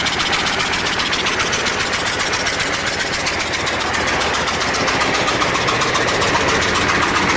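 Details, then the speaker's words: KAMAZ diesel truck with crane, expelling antifreeze and gases into coolant: heavy regular knocking three to four blows a second over rattly idle; engine knock at idle, suspected cracked cylinder head with dropped valve seat, unconfirmed. "может головка лопнула точнее лопнула головка отвалилось седло и вот и стук и газы страшный какой-то весь"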